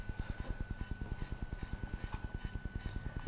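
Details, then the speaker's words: DJI Phantom 3 Professional battery firmware update: after power-up and initial gimbal setup, quick even pulsing of about 2.5 soft thumps per second with faint high chirps; normal tones signalling the upgrade start, which takes 2.5–3 minutes. "that's the noise it makes when it starts the upgrade process and then you'll see the lights change right here in just a moment yep and now it's beginning to Firmware upgrade"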